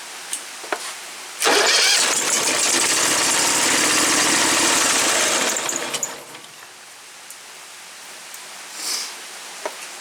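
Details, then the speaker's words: Woods 6180 zero-turn mower, 18 hp Briggs Vanguard, swapped-in starter tested, carburetor untouched: about four seconds of strong quick cranking, ragged churn then dies; starter works well, engine won't run evenly. "I haven't done nothing to the carburetor, so if it fires up it's going to run like crap, but I'm just wanting to test the starter."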